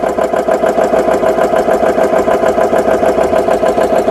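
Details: GX CS3 high-pressure compressor after repair with four new O-rings, no filter fitted, filling an air gun toward 3,200 PSI, at about 3,000 PSI: steady, even pumping beat about three strokes a second over constant mid tone; running normally.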